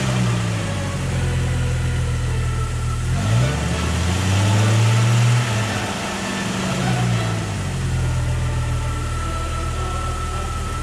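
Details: Jeep 4.0 L inline-six first startup after a cheap home overhaul and reinstall, exhaust just hooked up, antifreeze not yet added; idles low and steady, takes a couple of smooth blips that rise and fall cleanly, engine running.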